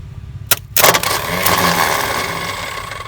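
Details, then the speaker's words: Tata Sumo direct-injection diesel cold start after sitting through the Corona period; starter OK, engine not stuck; cranks steadily but never catches while air is bled by loosening the injector lines, diesel reaching line one: crank no start from air in fuel lines. "പൊട്ടിക്കാണ്, air ഒഴിവാക്കണം. അതെ. ഒന്നിൽ diesel വരുന്നുണ്ട്, രണ്ട് ഊരിയില്ലേ?"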